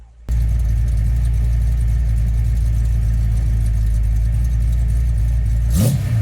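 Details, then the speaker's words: Warmed-up V8 truck with Holley carburetor, vacuum advance on ported vacuum: deep, slightly lumpy idle holding steady, then a quick rev blip, running fine. "Okay, first I'm going to get the engine warmed up, and we'll get an idle quality sample and rev or two, and we'll see how that sounds with ported vacuum."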